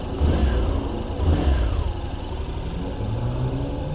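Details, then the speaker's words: 2021 Honda NC750X DCT motorcycle after recall fuel-injection ECU software update: two throttle blips climb and drop cleanly with no hesitation at low throttle opening, then steady idle; throttle response now smooth and normal. "well the throttle definitely seems smoother now there doesn't seem to be that little hesitation you know right when you open the throttle"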